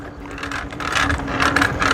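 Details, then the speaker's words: 3D-printed gear-drive bicycle (no chain) being ridden through the gears. Rapid clicking that grows louder with more pedaling force, caused by a slightly warped iron sprocket that needs replacing. "aqui para resolver esse barulhinho aí cara é trocar mesmo aquela coroa de ferro que nós prendemos nela que ela tá meio empenada"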